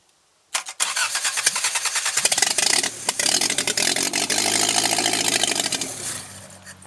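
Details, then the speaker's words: 1984 Toyota Tercel 1.5 L carbureted 3A engine, out of the car after sitting 10 years, cranking on a test rig with fuel poured into the float bowl: ragged pops and short catches that never hold; the accelerator pump isn't working. "So accelerator pump's not working."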